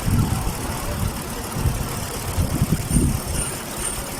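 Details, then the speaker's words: Chevrolet Caprice V8 at idle: uneven with irregular low thumps and stumbles about every second; no spark from bank 1 coil, multiple misfire caused by a cut ground wire at the back of the engine, fixed by soldering. "so I I found here a problem there's a ground cut at the back of the engine"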